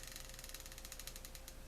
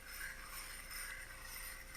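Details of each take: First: does the reel turn smoothly very smoothly Second: Shakespeare spinning reel checked before opening (no schematic found): faint gritty scraping and ticking in repeating bursts as the handle turns; reel turns but drags, rough rotation rather than spinning freely.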